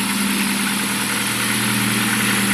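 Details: Rover 1.4 K-Series 16v engine in restored Mini Clubman Estate, first run after build, cooling hoses not yet fitted: smooth even idle with steady hum, no ticks, knocks or misses; normal idle.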